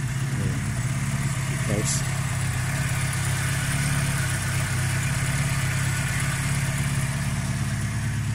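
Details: Vauxhall Chevette (HSR rep) at its first start in years, idling after ignition timing was set, run briefly with no water pump belt fitted: a steady, even low idle with a smooth exhaust beat and no knocks or misses. Normal idle.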